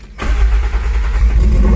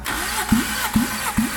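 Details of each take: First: Toyota AE86 first start in years after four-year revival: engine catches, climbs and hangs at fast, slightly shaky idle for several seconds, then drops; idle too high, suspected stuck-open idle air control valve needing cleaning, not confirmed. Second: Toyota AE86 engine revived after years sitting, compression test while cranking: slow even cranking beats about twice a second, strokes strong and alike; a cylinder reads about 230 psi, within 210–240 spec, and cylinders three and four sound good; healthy compression.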